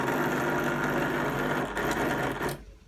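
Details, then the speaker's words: Fagor FUS 6116 IT washer dryer entering its drying phase: fast, harsh mechanical clatter over a steady hum, cut off abruptly when switched off. "because that sounds bad. I'll turn it off."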